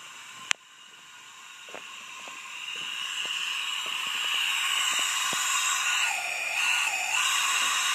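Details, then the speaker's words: Acura Integra B18B1 engine at top dead center, cylinder leak-down test before drilling out broken distributor bolts: steady air hiss after a sharp click, excessive leakage on the final cylinder past the exhaust valve; head likely needs replacing or rebuilding. "again it's at Target Center and again this cylinder also has excessive leakage"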